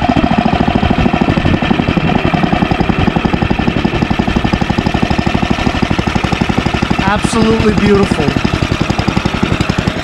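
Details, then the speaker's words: Ariens ST1128 dual-stage snowblower, 11HP Tecumseh Snow King engine, after carburetor cleaning and pilot jet fix for surging, cold day. Despite an apparently ~5HP carburetor, crisp, evenly spaced firing pulses hold one steady speed with no hunting: smooth steady running. "pilot jet fix always fixes the surge and i was wrong even though i think that's a five horsepower uh carburetor as you can clearly see it runs absolutely perfect"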